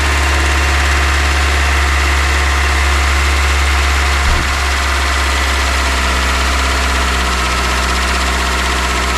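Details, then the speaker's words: Volvo 480 after a thermostat replacement, first start with excess fuel in the system: steady fast idle with an even beat and no dips or hunting, well above normal idle speed; owner suspects a vacuum leak, not confirmed. "Yes, it works. Oh my god, guys. Sounds like there's a little bit of a vacuum somewhere. The high idle."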